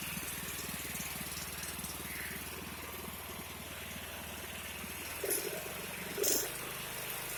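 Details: 36-inch Bunton walk-behind mower that wouldn't start, after carburetor cleaning and freeing a kinked throttle: the small engine idles on its own at an even, steady beat with a couple of brief clatters; starts and runs normally.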